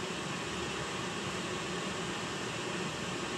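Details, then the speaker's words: Oil-fired whole-house furnace (275-gallon tank) after primary oil filter change and air readjustment: steady, even roar with soft airy hiss, no pulsing or sputter; burner now staying on longer than last time, firing cleanly — normal burner running. "staying on a lot longer doing more than it did last time"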